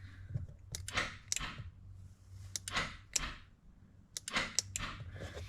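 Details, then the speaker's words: 2005.5 Audi A4 with an inoperative fuel door release: module gives sharp relay clicks each time the trunk release is pressed, so it works for the trunk; owner suspects wiring between the switch, module and fuel door. "So, the module's working for the trunk release. Uh, but it's not for the fuel door."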